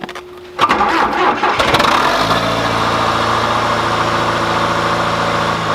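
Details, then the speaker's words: John Deere 410C backhoe in winter, cold start after sitting for months, with corroded battery terminals cleaned: the starter churns briefly, then the diesel catches and settles into an even idle. Normal cold start. "all right well that makes me really happy that that fired up it's been a long time since I've started"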